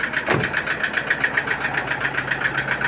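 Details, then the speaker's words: Toyota Innova diesel engine knocking with a sharp, regular tek-tek-tek of about four hits a second over a steady hum at idle and when revved; check-engine and oil-pressure lights off; cause unknown, low oil suspected. "Nah, kita dengerin nih teman suara mesin bunyi tek tek tek tek tek tek tek ini teman ya. Tuh, coba kita gas. Nah, kedengaran teman ya."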